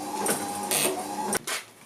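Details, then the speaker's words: Gilbern classic car with a retrofitted Ford Focus Mk2 wiper motor and a relay park circuit: buzzing motor whirs, pauses briefly, then carries on. The park signal interrupts only about 200 ms, so the wiper fails to park; the fix planned is repositioning the cam. "what you can hear if the relay is making a noise it's trying to switch off but this the problem is it's not stopping you see it's pausing"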